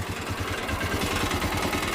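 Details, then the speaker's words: Motocarro (three-wheel cargo motorcycle) idling after electrical fault repair: light tinny metallic rattle riding each firing pulse from loose nuts at the exhaust joint; fix is tightening them, no valve noise. "Se escuchan. Ah, miren, es la unión del escape. Cale ajustar un poco estas tuercas."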